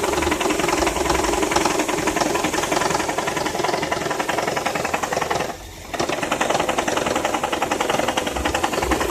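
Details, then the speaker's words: Engine idling with a steady ticking knock about 160 a minute that briefly drops out; came on while accelerating from a light, engine jerking; intermittent engine knock, cause unknown. "периодичны то есть не постоянно такое ощущение что сейчас немножко поработать перестанет"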